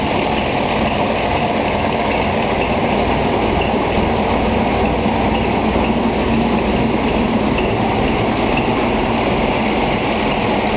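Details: Gardner 5LW diesel in Bagnall Leys locomotive 3207 at Foxfield, second start-up after engine overhaul: loud, steady diesel chug at idle with an even beat, no knocks, misses or grinding; normal diesel idle.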